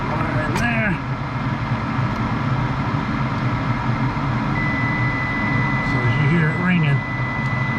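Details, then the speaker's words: 11-year-old furnace, no-heat call, draft motor running: meter continuity check across the pressure switch gives a steady high tone over background noise, showing the switch closes; the control board is suspected as the fault. "ringing we do have continuity our switch is closing"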